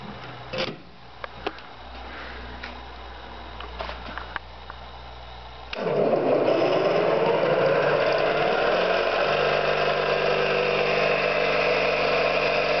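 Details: Orlík 2 JSK 75-2 compressor, one of its first provisional starts after owner's own overhaul, motor started via star connection: quiet, then motor kicks in to an even, steady pumping rhythm with no knocks; healthy.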